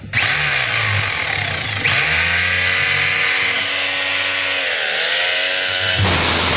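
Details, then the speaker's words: DeWalt D25033 rotary hammer in chipping mode: motor whines and chips steadily, then cuts out and restarts when the cord is moved or pulled down; cord broken at its base, plug and brush holder to be replaced. "Tapos pag ginalaw natin itong cord, yung pinakapuno, andar yan. Pag hinatak natin pababa, namamatay. So ibig sabihin, putol yung pinakapuno."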